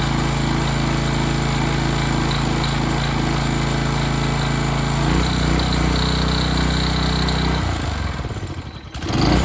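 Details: Early-to-mid-2000s Craftsman brush mower, single-cylinder, sat three years, carburetor cleaned, fresh gas, oil not yet changed: steady even beat, brief rev up, then clean shutoff; runs great, normal running.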